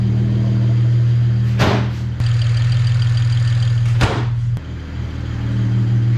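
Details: BMW 335i with N54 engine idling right after high-pressure fuel pump replacement, not yet warmed up: low, even hum with a steady soft pulse, no misfire stumble, a couple of brief nearby clunks; healthy idle.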